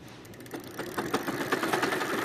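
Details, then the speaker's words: Tata Stryder Zeeta e-cycle hub motor, 2-3 months old, on throttle: rapid tak-tak clicking that starts with throttle and stops when released, worsening over the last few days; cause not found. "इसमें जब accelerator दे रहे हैं तो टक टक टक टक की आवाज़ आती है। देखिए मैं इसको एक्सीलेटर दूंगा और टक टक की आवाज़ शुरू हो जाएगी।"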